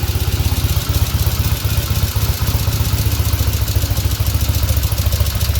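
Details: Restored 1975 Norton Commando Mk3 twin, Tri-spark ignition being timing-checked: steady, even low thump at idle with usual twin-cylinder clatter, no miss or knock; runs healthy.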